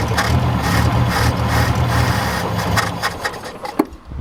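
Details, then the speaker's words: 1967 Toyota Corona RT40, first start, cold, probably stale fuel: lumpy unsteady idle fading out, needs feathering the accelerator to keep running; possibly out of fuel, not confirmed. "feather it to keep it running yeah the accelerator uh if we can yeah let me do that"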